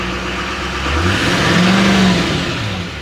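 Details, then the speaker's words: Duramax diesel 4WD pickup with front-end damage at an auction lot, listed as start but not drive, no check lights, stock exhaust: smooth revs with a brief rising whoosh at the peak; turbo spools cleanly, normal. "see what she sounds like yeah it's got a regular exhaust on it too you can hear that turbo spool up though sounds good what do you guys think"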